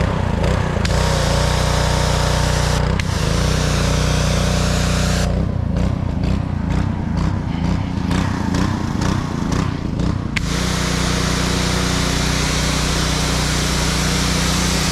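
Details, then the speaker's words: Blackmax pressure washer with a Honda GCV160 engine, repaired after a crank-no-start complaint, running under load with the hose connected. A steady, even drone with a brief uneven patch, then it settles. The pressure washer is fully working. "as you can see the pressure washer is fully operational hopefully we'll have a happy client"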